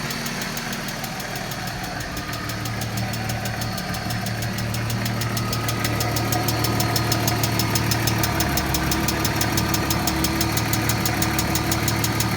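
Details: 1995 BMW E36 M3 S50 inline-six idling with steady, fast, light ticking at constant rate over smooth idle; noisy lifters suspected.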